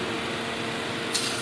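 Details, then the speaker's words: 2002 Dodge Neon with idle hunting: steady hiss over the idle from a hole in the accordion intake tube behind the throttle body letting unmetered air in; intake air leak found. "you can hear the air leak this accordion tube here all right just that simple there is a hole in the accordion tube for the air intake"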